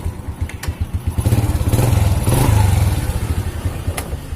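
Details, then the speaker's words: 2006 Honda Supra Fit motorcycle, kickstart had been stiff like a seized piston; clutch area tidied and fixed, now run in neutral: single-cylinder thump about 3.5 beats a second, rising smoothly with throttle and settling. Runs healthy after repair. "nah coba kita OL kosong tanpa kita kontakkan ya Oke jadi motornya sudah bagus"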